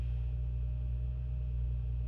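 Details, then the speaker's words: BMW 535i F10, N55 engine, 105,000 miles, just after VANOS solenoid replacement: low, smooth, even petrol idle with no ticking or stumbling, check engine light clears; normal idle. "Ignition, idle is good, check engine goes away. Sounds good. Sounds damn good actually for 105,000 miles, if I do say so myself."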